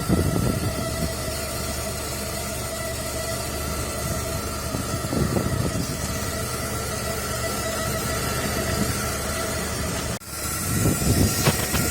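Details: Steady high whine from under the rear of the car, resembling failing fuel pump symptoms; check one more thing before replacing the pump.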